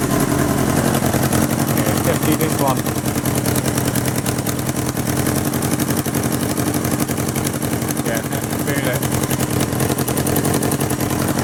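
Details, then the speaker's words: 1977 Kawasaki KZ650/Z650 B1 four-cylinder, air screws 2¼ turns out (manual says 1½), second-hand starter fitted; lumpy, uneven idle with choppy exhaust beat and poor smoothness; carbs still need syncing. "still need to be synced that's great news that's really pleasing"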